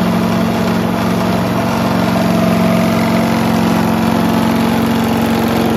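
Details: Mighty Mac wood chipper/leaf shredder, free non-running unit, small single-cylinder engine restarted after replacing the rusty seized choke flap, steady fast beat with heavy shaking drone; violent vibration, out-of-balance rotor suspected, not confirmed.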